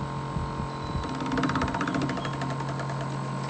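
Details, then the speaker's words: Air conditioner fan turning very slowly with no force while compressor runs, dirty evaporator: steady electrical hum under a weak, sluggish whirr; fan motor capacitor suspected failing. "no sé si alcanzan a escuchar que está como que con forzado y ahí aparentemente se ve rápido de ventilador pero no y ventiladores está girando muy muy lento"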